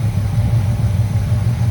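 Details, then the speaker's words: 1985 GM square body truck V8, revived after sitting 10+ years, warming up at idle: a deep, steady, even rumble with no ticks or misses. It idles smoothly. "but I mean that's that's idling real good let's see how it sounds back at the"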